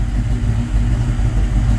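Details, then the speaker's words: First start of a Cobra-conversion engine, with ignition timing not yet set, mass airflow meter not on and the check engine light lit: loud, deep, uneven chug with a lumpy hit as it runs up. Not yet tuned. "I just wanted to hear it run because y'all know I've been working hard [Music] even written right right down it ain't even run it ain't even timed right now can y'all hear that"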